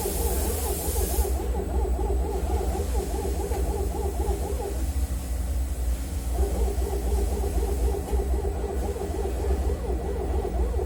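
A warbling, hooting whine rides steadily over the engine hum and wavers in pitch; an abnormal noise whose cause isn't clear.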